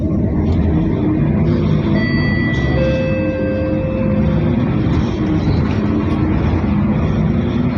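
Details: Mercedes OC500LE bus SMB107L on service 985, formerly at GBDEP on 190/190A, recorded while riding aboard: the engine sounded normal on the last ride but now sounds like a big metal box, a steady diesel drone with thin metallic whistling tones; cause unknown.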